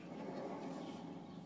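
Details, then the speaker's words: Driver's-side wheel, brakes disconnected, rotor spun by hand: rough, gravelly rumble instead of a quiet spin, unlike the silent other side, indicating a bad wheel bearing. "you hear that me too that sound indicates the wheel bearing"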